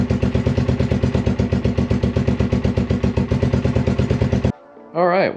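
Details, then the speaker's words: 1981 Honda XL185 single, engine swapped in from a second bike, at a steady idle after a valve and decompression-lever adjustment tune-up and an oil leak repair; quick, even thumping with no top-end tapping, holding oil and running great. "engine's holding oil engine's running great too after I did all that uh tuneup for it doing the valves"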